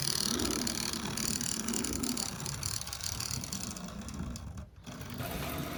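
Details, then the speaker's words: N gauge Duchess of Hamilton locomotive just fitted with a Hornby decoder (Digihat kit), running in reverse: rapid uneven clicking over the motor whir from an intermittent tender pickup; pressing down on the tender restores contact. "Um, that clicking noise you can hear in reverse. That's one of the pickups in the tender."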